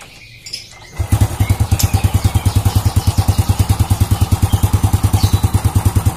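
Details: Old Honda Supra motorcycle after reassembling loose clutch outer (rivets not fitting their holes): engine catches into an even single-cylinder putter, about three beats a second, steady with no knock; normal idle, rattle fixed.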